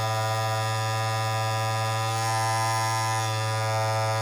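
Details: Andis Masters cordless clipper, blade just reinserted and pushed down, running with a steady, even electric buzz and no rattle or chatter, about as loud as new out of the box, unlike the worn one that gets super loud.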